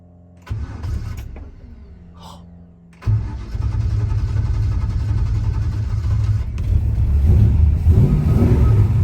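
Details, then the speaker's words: 1966 Chevy Caprice, flooded after gas pedal pumped by accident: a few seconds of lumpy cranking before it catches and settles into a rough, rising run. Hard start from flooding. "She must have been flooded. I pumped the gas on accident. Normally you ain't gotta hit the gas in this ride."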